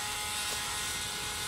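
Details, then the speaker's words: John Deere 5065E tractor won't crank although its four-year-old battery tested fine for charge and CCA. Key on gives a steady raspy buzz from the starter area with no cranking; switch engaged but no power reaching the starter, a suspected starter/solenoid issue. "there's a buzzing taking place over here it sounds like it's coming from starter so I don't know if that's appreciable or not"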